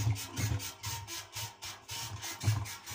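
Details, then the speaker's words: 5 kg washing machine spinning: rhythmic creaky squeaks with low thumps about three a second, like old bedsprings, as the drum rocks; caused by the drum's upper suspension hangers. "eski bir karyola bu eski sonralar olurdu üstüne yün yataklar atılırdı annelerimiz Baba annelerimizin annelerimizin kullanılır onu yaylarından gelen ses gibi bir ses geliyor"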